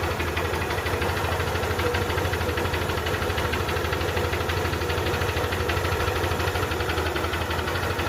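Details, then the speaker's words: Single-cylinder bike whose cylinder bore had failed by 16,000 km, after engine repair and silencer cleaning: it starts late, then settles into a steady, even idle with a quick regular beat and no knocks or rattles. The engine now runs very smooth. "బండి అంటే చాలా అంటే చాలా smooth అయిపోయింది. మొత్తం అయితే complete అయిపోయింది"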